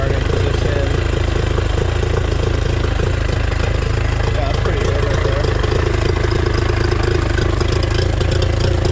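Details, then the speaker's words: Outboard after clearing a clogged water outlet and a quarter turn left; steady, even low burble, no misses or surging; normal idle. "That seems to run pretty good. All right, I'll increase the idle a little bit."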